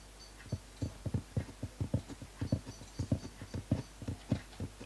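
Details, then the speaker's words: Akai GX-260D reel-to-reel deck under restoration: dull, slightly uneven low thumps about a hundred a minute in the output, meters dancing; stops when monitor switched to source (line input); beating fault of unknown origin. "when you put the monitor on source which is the line input that boom boom beating thing stops"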